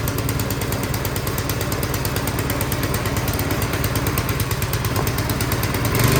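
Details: Craftsman 22-inch snowblower that would not start, repaired and reassembled, run on choke: quick, even single-cylinder put-put holding steady, rising slightly at the end; normal running.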